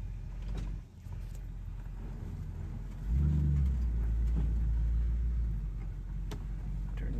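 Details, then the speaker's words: 1963 Chevrolet Impala SS with Powerglide on test drive after repair (previously bogged in gear): road rumble swelling to strong even growl as car pulls hard, no misfire; healthy under load. "oh yeah that's what it's supposed to feel like my baby's back"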